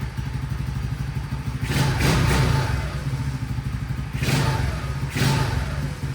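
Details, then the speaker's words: Green CT70 clone, Nibbi carburetor with pilot sorted, after warm-up: lumpy idle then throttle blips with a brief mild bog off idle, far better than before; owner suspects it needs a bigger main jet (107 or 110). "Get rid of that last little bog in there. Although it's not bad. I think stock one does. Little bog. Nowhere near as bad as it used to be though, so Good good good."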